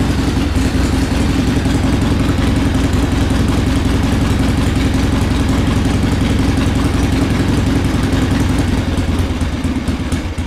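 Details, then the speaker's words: 1979 Harley-Davidson Ironhead Sportster XL1000 started for the first time in over 25 years after cleaning. It runs with a loud, lumpy, uneven V-twin idle that stumbles and won't hold steady. Rough idle; a part had popped off, and more choke and a higher idle are tried next. "not really idling right let me take a look at the car real quick"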